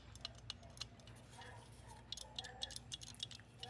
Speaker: That's the float flopping up and down. That tells you that your float is free and not stuck.